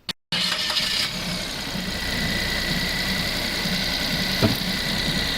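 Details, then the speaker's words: Suzuki Alto after fixing a rattle at idle that grew louder with rpm, traced to the alternator area; damaged bolt replaced and alternator refitted; engine catches cleanly, settles to an even idle with steady belt-drive whine, revved, no rattle, noise gone. "and as you could hear in that clip the noise was now gone and this vehicle could be given back to the customer"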